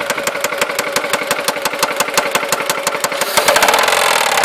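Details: Seat Ibiza 1.4 16v BBY engine at steady idle with rapid, even metallic tapping every revolution; the knock persists after an oil change, replacement of a broken timing belt idler and new hydraulic lifters; source still unknown.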